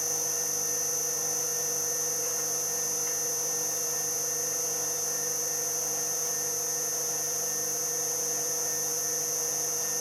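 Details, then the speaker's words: Three-phase motor rewired from single 380V to dual 220/380V, running at full 50 Hz speed: constant high-pitched, shrill whine over a steady hum; owner thinks the front bearing has a problem, not confirmed. "So, oh yeah, it doesn't sound good, does it?"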